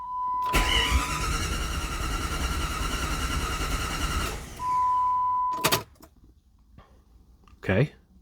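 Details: 1997 Jeep Grand Cherokee ZJ 5.2L V8 after new head gaskets, resurfaced heads, new pushrods and spark plugs; the starter turns it over at a steady, even rhythm for about four seconds but it never fires; crank, no start.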